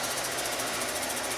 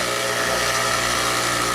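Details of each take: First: Kenmore Elite HE3t washer after repair for not draining or spinning, now draining and spinning: loud, rough, even rattling roar from the drain pump throughout the drain cycle; owner guesses something was sticking in the pump fan, cause unknown. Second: Kenmore Elite HE3t washer after disassembly to fix a no-drain, no-spin fault: steady loud whirring hum of the drain pump running through the spin, louder than remembered, owner guesses something was sticking in the pump fan; now draining and spinning normally.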